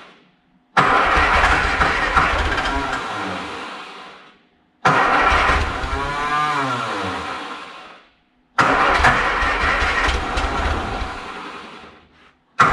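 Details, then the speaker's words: 1960 MG MGA 1600 roadster after long barn storage, cold, with spark plugs heated by torch like glow plugs; owner suspects corroded valves and low compression. Three short bursts of firing, each catching, revving briefly and fading. Engine starts after long storage. "it'll work kind of like a glow plug and help an engine start when it's cold or when it hasn't started uh in a very long time like this one where we probably have some corrosion on the valve so our compression isn't up where it should be yet"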